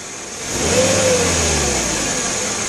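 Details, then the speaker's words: Mercedes S500 during E-gas throttle module test, revved from under the hood: quick blip rises cleanly and settles smoothly with no stumble, no ASR or dash lights; throttle control working normally. "Let's see, it didn't trip it yet, but it does work. It should be fine."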